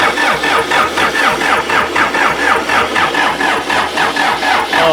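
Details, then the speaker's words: Old backhoe sunk in a pond for seven months, drained and pre-oiled, now refuelled and bled with injectors loosened. The diesel cranks slowly and evenly at about four pulses a second and never fires. Crank, no start; owner suspects a missed bleed screw. "Hold it. That's cranking pretty slow. Yep."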